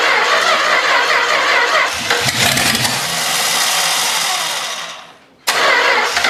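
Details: Long-sitting 318 engine, carburetor junked from sitting forever, running on added gas: ragged, uneven running that never settles, nearly dies, then picks up again. Blamed on the faulty carburetor.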